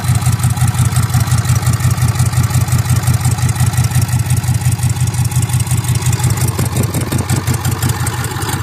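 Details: Ford 6.7 Powerstroke diesel just started after a return-side fuel test (pressure loss traced to the number three injector), being checked for leaks: an even diesel clatter about three pulses a second with no misses or knocks; normal idle.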